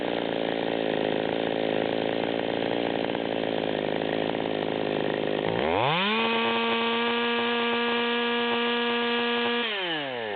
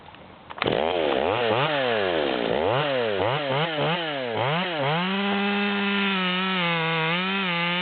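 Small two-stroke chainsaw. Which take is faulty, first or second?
first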